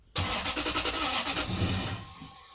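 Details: Lexus LS400 V8 after auxiliary belt tensioner and idler pulley replacement: starter churns at a quick even beat under two seconds and never fires; crank no start, needed new spark plugs.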